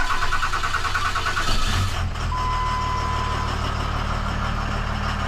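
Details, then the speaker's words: Ram 2500 Cummins diesel near 1,000,000 miles, tuned, with fuel pressure actuator unplugged so rail sits at full pressure: after a chime, engine runs steady but harsh and really loud; loud running from full fuel rail pressure. "Really? See, it sounds really loud. Yeah. Because it's at full pressure."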